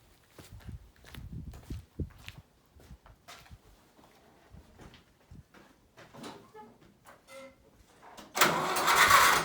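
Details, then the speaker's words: John Deere 2010 tractor started after new exhaust manifold gasket and carburetor gasket fitted: engine catches and runs steady and even, no exhaust leak tapping, much quieter than before. "well hot dog that is sounding a little better I would even go as far as to say that sounds a lot better"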